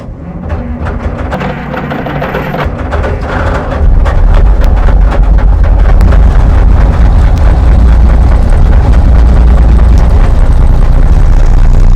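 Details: Euclid 74TD dump truck with turbocharged Cummins diesel, sitting for years: cranks, then a deep rumble builds and settles to a steady low beat about two per second. It later shut down; air in the fuel system is suspected.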